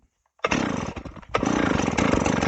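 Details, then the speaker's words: Old Stihl 038 AV chainsaw after a carburetor swap, freshly filled with fuel, brought to idle: it catches after a brief falter and runs slightly uneven and burbling, rich. Owner suspects worn original crank seals; not confirmed. "Uh, so I'm thinking there's probably something wrong with the crank seals on this, but it does run."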